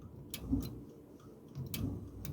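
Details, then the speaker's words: Duraglow gas fireplace that won't light: about 3 V applied by hand to the gas valve solenoid gives faint ticks, then a sharp click and a rush of gas as the valve opens, showing the solenoid works. "that's it clicking and also the gas turning on"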